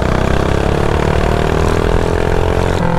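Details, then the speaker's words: Stock mini bike small single-cylinder with quarter-turn race throttle, after carburetor adjustment with idle screw set: revs pick up smoothly and hold with no bog, previously bogging from too much air and gas. "so look as y'all see the bike ain't bogging no more because when"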